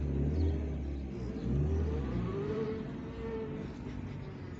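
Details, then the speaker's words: Fiat Linea road test in reverse after the gearbox's reverse gear, which had 3–4 broken teeth, was replaced. Steady low engine rumble with only a faint smooth whine and no grinding or clunks; the reverse noise is gone. "Perfeito. Acabou aquele barulho chato."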